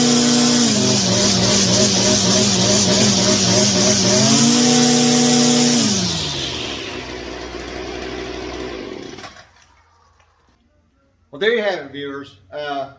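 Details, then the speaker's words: Stihl FS 56 trimmer, stored years without stabilizer, hard start and low power, after carburetor replacement and spark arrestor cleaning, run indoors: high steady buzz stepping up cleanly on throttle, winding down smoothly, no stumbling or misfire. "make sure she's gonna stay running but yeah sounds good"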